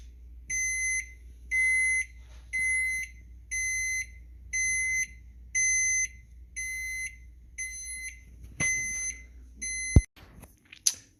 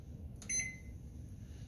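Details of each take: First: Samsung FX710BGS oven control beeping about once a second with half-second shrill tones, showing error E-0A (overheat) though the oven was never on; failed oven temperature sensor, fixed by replacement. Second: Samsung FX710BGS oven range after replacing faulty temperature sensor that caused E-0A error and beeping: one short, clean keypad beep over low room hum, no continuing alarm.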